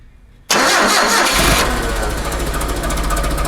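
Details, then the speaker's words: Propane forklift engine after removing and reinstalling the distributor using alignment marks: the starter cranks briefly, then the engine catches cleanly at once and settles into a steady, even idle with no misfire; normal start. "right success no less she starts and runs"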